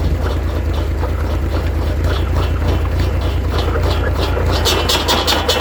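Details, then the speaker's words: 1942 Oliver OC4 crawler running a PTO-driven saw: loud steady engine chug under an uneven, loose rattling whir from the blade. The saw shaft bearing/bushing is worn out, letting the blade wobble badly. "but it's the bearing the bearing is shot yeah like I noticed in the past that was moving a little bit but it's really bad now"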